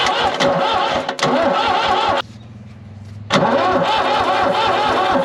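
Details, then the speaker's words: New Holland L783 skid steer diesel, cranked with starter fluid to bleed lines after priming with diesel: steady starter churning, pause, more cranking without catching; air in fuel system, later fired up. "So, I had to prime this with diesel, then bleed this out by cranking the engine. This is broken, but then it fired up."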